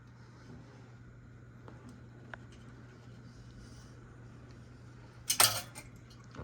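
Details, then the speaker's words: Casablanca Lady Delta ceiling fan on medium speed: only a faint, steady low hum with slight bearing noise and one brief clatter near the end. Quiet, healthy fan. "Yeah, this is definitely a silent fan. You can ever so slightly hear some bearing noise."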